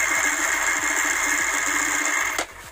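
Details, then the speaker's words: Yamaha NMAX with bore-up idles with a loud, dry clattering rattle from the CVT side with the cover off; sliders and pulley fine, noise traced to a loose starter-gear bushing/thin bearing. "Suaranya masih keras bagian sini ya, rotok-rotok. Kita coba cek gigi starternya."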